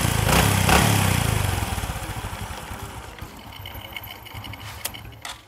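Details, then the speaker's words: Honda Future (Fu) motorcycle after clutch repair: short rev falls back to steady, even idle with no groaning or clunking from the clutch side; clutch groan and clatter gone, normal operation. "nồi này em giải quyết cho cái tiếng ò v cái tiếng vọng c cạch c cch mất tiêu luôn rồi đó"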